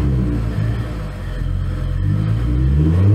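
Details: 2011 BMW E90 xDrive, rebuilt N55 with Stage 2 turbo and 8HP45X swap, after fixing crank-no-start, on skates: revs climb cleanly with no stumble or knock, free revving and healthy though still running rich.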